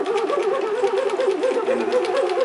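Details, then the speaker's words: Parker Daedal linear actuator, 25 mm pitch x-axis lead screw cranked by knob. A rhythmic mid-pitched squeak repeats each turn and it is very hard to turn, unlike the easy 5 mm z-axis. Stiff lead screw; the owner is unsure if the pitch alone explains it. "look pristine but it does it is hard to turn anybody has any de sure appreciate it thanks so much bye"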